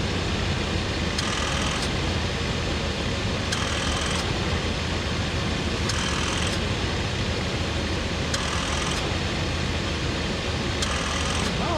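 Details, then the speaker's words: 1988 Chevy Suburban, engine running, leaking R134a AC at about 65 psi, low charge: clutch-like whir cutting in and out about every 2.5 seconds; compressor short cycling, pressure building each cycle as it draws in refrigerant, compressor works. "short cycling that's a good sign he's working anyway see if we can suck in some juice there with the cycling we are getting a little bit of pressure build up each time the compressor cycles"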